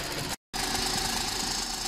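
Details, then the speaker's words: 2007 VW Golf GT 1.4 TSI twincharged (BLG) with 6-speed DSG: steady, hard metallic clatter at idle, also present when accelerating and progressively worsening. Cause found to be a failing water pump and supercharger clutch assembly. "noise present on a 2007 Volkswagen Golf this is the 1.4 TSI Twin charged [Music] engine and as you can hear at idle it's rattling away"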